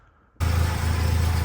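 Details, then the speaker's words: BMW E30 Touring with an M44B19 swap, after sealing the gasketless exhaust joint with Bardahl exhaust paste: the engine starts and settles into a steady deep idle with no puffing at the joint; the leak is gone and the car is very quiet. "Mais là, ça y est, on a une voiture plus que silencieuse."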